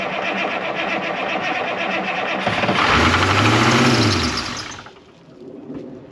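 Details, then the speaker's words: 1981 International Harvester diesel snow plow truck, sat for years and fuel-primed: cranking clatter catches, then it surges to high revs for two seconds as the throttle pedal sticks to the floor and is pulled back. Stuck throttle. "okay the throttle stuck I pushed the throttle down to get it going and the throttle stuck right to the floor"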